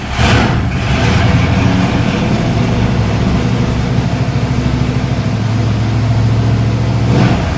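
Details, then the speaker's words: 1976 Mercedes W115 240D swapped with 1989 M117 V8 and 722.350 transmission: lumpy, uneven burbling idle with rev blips, sometimes won't catch idle; owner says fuel-injected but runs very rich, suspects poor timing. "so it almost runs like it's carbureted but it is indeed injected but it just runs Pig rich and I don't think the timing is all that great either"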